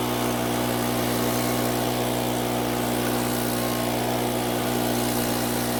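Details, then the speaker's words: Makita four-stroke handheld leaf blower, previously would not start (lost carb part), test-run after oil change with oil topped past dipstick midpoint: steady even hum at idle, no hunting or rattles. Quiet, smooth idle; runs healthy. "like this blower it's really quiet at idle and it's not going to wake up the dead at Full Throttle either"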